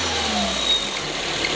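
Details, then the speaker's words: DS5 THP petrol engine idling with a faint, thin high chirp over a hissy background; the belt is ruled out, likely a punctured valve cover (PCV) diaphragm; noise stops with the oil dipstick removed and returns when it is refitted as crankcase vacuum builds. "Eu acredito que não seja correia, tá? Acredito que seja o diafragma da tampa que esteja furado e tá fazendo esse ruído."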